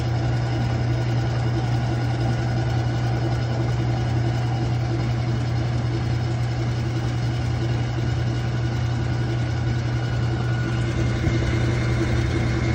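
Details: Old Whirlpool washer with old-school agitator, owner suspects the pump: heavy low droning hum with a loose, uneven rattle underneath during agitation; rattling and grinding noise, cause unconfirmed.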